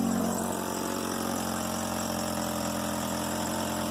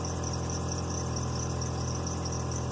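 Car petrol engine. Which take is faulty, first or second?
first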